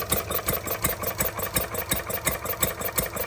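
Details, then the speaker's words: Stirling Kits Retrol G16 model stationary gas engine on first start, earlier flooded with too much fuel, fuel pump likely needing priming: even crisp firing about 167 beats a minute with steady light chuff between; running cleanly. "Oh, that's what it was. I flooded it. I think she runs lovely."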